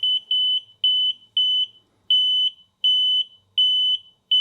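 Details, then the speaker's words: Heated-diode electronic refrigerant leak detector in manual mode, checking an R-410A mini-VRF heat pump. It does not auto-zero after sniffing a leak, so repeated high-pitched double beeps continue while the sensor clears. A refrigerant leak detector alarm. "It's just going to continue to make that noise. You hear that I'm blocking some of that noise out, so you can still hear it, but it's just not as loud."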